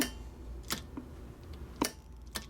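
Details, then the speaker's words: JB 50 (JB75A) amplifier keyed by a radio at roughly 20–48 W peak: crisp, clean single clicks. The transmit relay switches reliably and no longer sticks in transmit. "you know how sweet that sound is to hear that thing clicking and doing it reliably"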